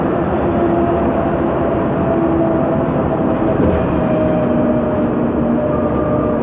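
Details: 2009 MAN Lion's Classic city bus, MAN E2876 LUH03 EEV CNG engine, ZF Ecomat 6HP504C 6-speed automatic, while driving: faint steady mid-pitched whine over heavy road and cabin rumble; noisy rear differential suspected, not confirmed.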